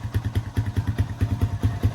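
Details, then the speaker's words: Cheap Honda Rancher ATV being restored, just started: slow, heavy single-cylinder idle about five pulses a second with uneven lugging beat; owner thinks choke is still partly on, cause unconfirmed. "Honestly, seems like it runs decent. Like I said, I think it's still got the choke pulled up a little bit, so it's not going to idle perfect. You can kind of hear it lugging a little bit, but we got that other"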